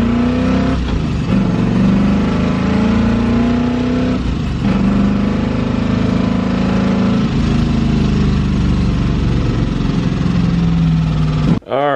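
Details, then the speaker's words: V8 Miata right after a TKO600 dogbox swap in which the header was removed and refitted. Very loud, raspy V8 drone. Massive exhaust leak suspected near the header, possibly a damaged gasket. "There's a really loud noise. I think that it sounds like there's an exhaust leak going on over here, like a massive exhaust leak."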